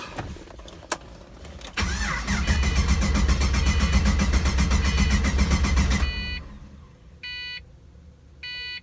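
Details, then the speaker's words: Pontiac GTO after dropping a fuel pump into the tank: pump heard running for about four seconds of steady fast starter cranking with no catch, then chimes; gauge shows no fuel pressure, crank no start, pump not delivering fuel. "i hear the pump on [Music] nothing is showing on the gauge all right i hear the pump coming on so now i'm really confused why is it not pumping anything"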